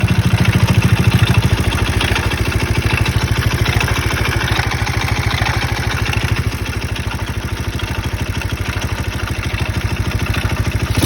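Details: Alpha 110 moped engine: steady clattery knock at roughly three per second over a lumpy idle, heard near the clutch; engine knock.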